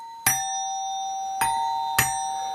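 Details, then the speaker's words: Musical "ding dong" doorbell with its cover removed. Three clean metallic strikes, each ringing tone decaying slowly; the chime sounds normal. "pues empezamos por el timbre musical también llamado ding dong por el sonido que hace fijaos"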